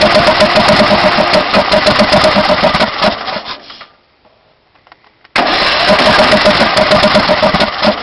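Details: Briggs Intek 18.5 HP on DYT4000 riding mower: steady cranking chug about four beats a second, pause, more cranking without catching; runs one minute on starting fluid in morning, then only backfires through carb.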